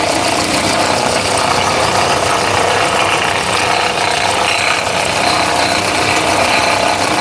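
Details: 2017 Honda Accord at idle: dense, busy ratcheting clatter from a faulty alternator decoupler pulley clutch, intermittent, before replacing the pulley.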